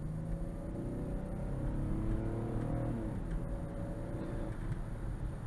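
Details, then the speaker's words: 2013 Ford Taurus test drive after water pump replacement and powertrain reinstall: smooth engine pulling up through the revs with an even rising tone, no knocks, ticks or whines; healthy with good power. "This engine sounds nice and healthy. I don't hear any abnormal noise. It's got good power."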